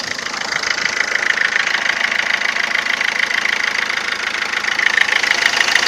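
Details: 2007 Ford Fiesta 1.4 TDCi 69hp diesel at idle: a fast, fairly even light knock at about 200 per minute over a thin diesel clatter. Abnormal engine knocking, cause unclear.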